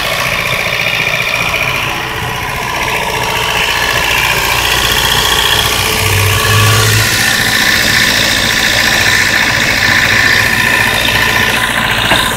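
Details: 1992 Mazda 323 B6 engine, extremely hard to start; rough uneven stumbling idle with steady hiss on top — horrible misfire at idle, cause unknown.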